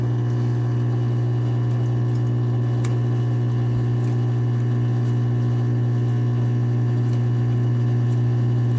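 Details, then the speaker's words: Whirlpool front-load washer WFW75HEFW0 showing an F3E1 error, run on drain and spin: steady low pump hum with water trickling and gurgling but no strong flow. The pump runs but drains slowly, leaving water in the tub. "You hear her draining, it's trying to drain. The washer is not draining the water. You can hear some of the water coming out."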